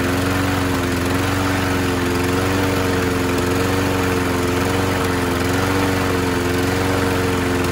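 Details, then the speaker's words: 2001 Scott's by Murray self-propelled FWD mower (228670X8A), Tecumseh OHV engine, after carb clean/swap, linkage and idle adjustment, new air filter and fuel line: loud, steady, even drone, no misses or surging; normal running. "The self-propelled does work. I'm not gonna start it up again. It is kind of loud, but it does work."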